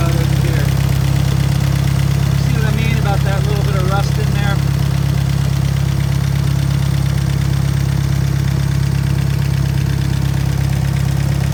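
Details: Willys engine in a Hobart welder, freshly re-ringed with a valve job: slow, even thump at about two and a half beats a second, steady throughout; otherwise strong, normal idle.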